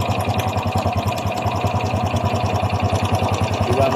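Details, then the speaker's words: Honda XRM 125 Fi engine at idle before repair: fast, even metallic clatter on every engine beat, loud over the exhaust; a worn, slack timing chain, fixed by replacing the chain, not the connecting rod or the roller. "ng kanyang makina walang yung lagitake na ang dahilan ay ang timing chain"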